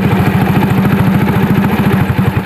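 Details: Honda C70 motorcycle that sat unused for a long time and wouldn't start; cause was a weak ground (massa) connection. After fixing the ground it fires on the first starter press into an even, steady single-cylinder idle with no misses or knocks.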